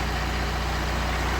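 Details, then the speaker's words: BMW 1 Series 118d/120d, N47 2.0 diesel, after repairing a very bad knocking sound and red oil pressure light: perfect start, steady even idle with smooth low rumble, no knocking or ticking, no lights or errors; fixed. "let's see perfect start perfect sound no lights no error it's fixed we fixed another one"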